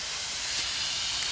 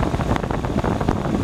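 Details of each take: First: Heat pump condensing unit with no heat and completely out of refrigerant. Constant sharp, unrhythmic hiss of pressurised gas escaping from a rotted liquid-line filter drier at the king valve. The drier is to be cut out and relocated outside. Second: Heat pump condensing unit in heat mode on a cold day, after replacing a rotted liquid line drier and moving it outside: steady, even fan and compressor hum with no knocks. Suction about 60–61, head about 110, acceptable; normal operation.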